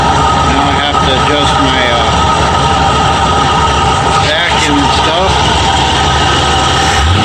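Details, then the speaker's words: Ford F-100 351W V8 with C4, at idle about 750 rpm just after fitting a new carburetor with a thick gasket: low, steady, mostly smooth idle with faint unevenness; owner hears a slight miss, one side louder; smooth idle. "very smooth a little missing in here this side's a little louder see what 750 rpm"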